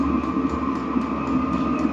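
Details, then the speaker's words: Vevor diesel heater (8 kW) just after first ignition, aluminium heat exchanger still cold: even blower whir with steady mid tone and soft combustion hum underneath; running cleanly, barely smoking. "ठीक है, मैं कहूंगा कि यह निश्चित रूप से चला गया है। यहाँ, आप शोर सुन सकते हैं."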